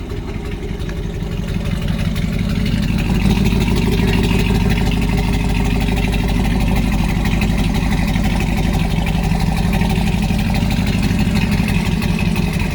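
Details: 2019 Camaro SS, 6.2L direct-injection LT1 V8, before repair: rough, uneven idle with a lumpy, stumbling beat under a deep exhaust drone; one cylinder misfiring from an injector stuck open, oil diluted with fuel.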